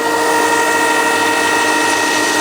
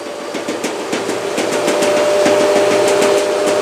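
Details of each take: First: LG washing machine, after fixing a knock where the drain hose hit the cabinet and shock absorber by fitting thicker foam: smooth rising motor whine spinning up, no thumping or rubbing; normal spin cycle. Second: LG washing machine on high-speed spin: fast regular knocking, about three per second, over the drum; the sagging drain hose slaps the cabinet at high vibration, its thin factory foam pad insufficient.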